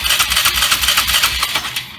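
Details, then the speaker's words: Polaris small engine cranked by the starter with an even rhythm of about eight pulses a second but never firing; the inline spark checker shows no spark because the contacts are touching. "and right now we have nothing okay so once again if those are touching you're going to have no spark"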